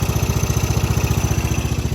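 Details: 1995 Craftsman LT4000 lawn tractor, single-cylinder engine, after sump gasket replacement: even thump at roughly ten firings a second, steady and regular, no misses or knocks. Only the breather tube still seeps slightly, no other leaks. Healthy normal idle.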